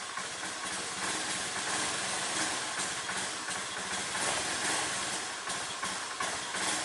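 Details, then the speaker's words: Honda Beat scooter whose battery had dropped to about 3 V, started after charging: now starts immediately but idles unevenly, popping and sputtering. Rough running; owner suspects a weakening fuel pump or low fuel pressure, unconfirmed. "Nah, langsung nyala ya. Nggak seperti tadi susah banget untuk dihidupkan. Tapi berebet-berebet teman-teman."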